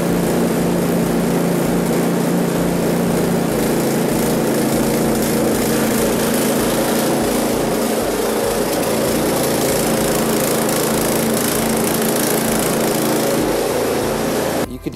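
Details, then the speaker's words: One-year-old Husqvarna ST224 snowblower, fuel left in over winter, before carb cleaning: the small single-cylinder engine hunts up and down in speed once the choke goes from halfway to off. Surging, suspected from stale fuel in the carb, not confirmed. "i will have the choke on i'll put it to halfway and then i'll put it off so you can see it it just wants to surge after the after the choke is off"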